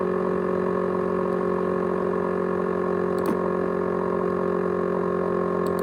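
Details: ASUS X543UA laptop with 500GB USB hard drive: steady, unchanging high whine of several stacked tones, no rhythm; loud whine, cause not identified.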